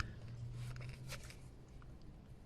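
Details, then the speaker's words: Mercedes C200 W204 M271 1.8 with drive belt removed, tensioner pulley spun by hand: faint gritty rumble with uneven crunchy catches, also excessive play; rough tensioner pulley bearing. "now that the drive belt is off and we have removed the t60 we can check that pulley and as you can hear it's very very rough"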